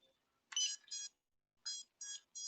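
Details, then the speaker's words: FPV drone that had run before gives a pair of short high beeps, a pause, then three more, and the motors won't spin; warning beeps, owner suspects the receiver isn't bound. "It's like beeping. Maybe I don't have it bound."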